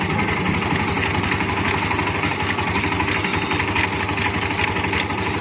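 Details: Hero Xtreme 125R, 8 to 10 days after a service: light rapid ticking over an uneven single-cylinder idle, clatter rising when blipped; owner suspects a part (tappet) loosened again or a loose gearbox, not confirmed.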